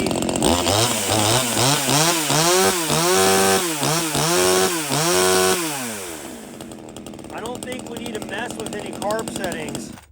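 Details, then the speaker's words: Proyama 26cc top-handle clone chainsaw, already warmed up on a roughly 25° day: crisp, clean revs on throttle blips, then a steady, even idle. The carb seemingly needs no adjustment out of the box. Normal running. "I don't think we need to mess with any carb settings I think that out of the box rigid saw"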